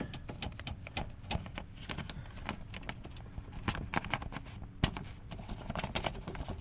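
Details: 10th-gen Honda Civic Si with the door panel off and aftermarket Image Dynamics 6.5-inch speakers and tweeters fitted: irregular sharp taps on the door each bring a light buzzy rattle inside. The cause was the wiring installed for the aftermarket speakers.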